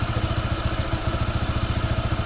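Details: Honda PCX 160 scooter, new and not yet broken in, with a low chugging idle and a light rhythmic clatter of roughly ten pulses a second, like slapping; the owner suspects a loose drive belt.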